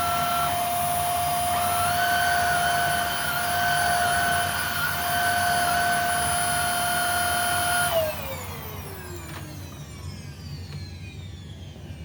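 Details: Hoover Air Steerable upright vacuum after belt and brush roll replacement: smooth steady high whine at constant pitch for about eight seconds, then switch-off and wind-down; same pitch as before but noticeably quieter.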